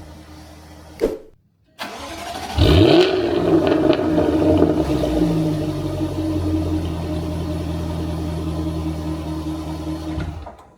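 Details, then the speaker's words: Jaguar F-Type startup heard from the rear: sharp crank, loud booming flare, raised rumbling fast idle; active exhaust valves default or stick open in loud mode every start. "But no, the exhausts are going to be in maximum loudness mode as soon as you start it for a few seconds randomly. So every time you start your car, this happens."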